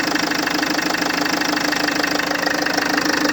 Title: FL2 Engine knocking